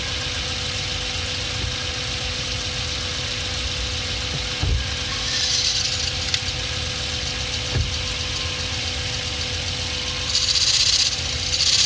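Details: 2006 Hyundai Elantra manual, hard to get into gear, moving off in first: harsh rattling, squealing bursts as clutch takes up with pedal vibration; clutch damper spring failed and separated.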